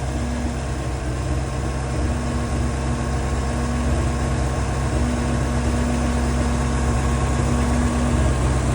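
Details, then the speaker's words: 2003 Bayliner 215 Bowrider, MerCruiser V8 on trailer warming up, throttle left at the same slightly raised RPM: steady, even rumble with no misses or knocks; normal fast idle. "All right. I've just let it run at that same RPM. I haven't touched it."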